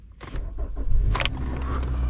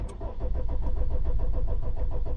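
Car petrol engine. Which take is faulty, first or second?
second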